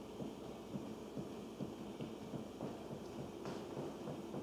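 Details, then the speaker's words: House with three upstairs bathrooms; after a toilet flush, dull irregular thumps about twice a second knock through the ceiling below, heard in family room, kitchen and laundry room; water hammer, also heard early morning with no bathroom in use. "You can hear this sound even nobody is using bathroom early in the morning."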